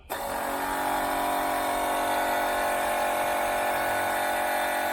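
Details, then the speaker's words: 1981 Camaro Z28 newly fitted electric fuel pump, primed with gas: constant high, steady whir. The motor spins but the pump won't deliver fuel, though the owner thinks it seemed to be sucking. "Uh anyway, I can't get this pump. I put the pump on here, but it's not pumping."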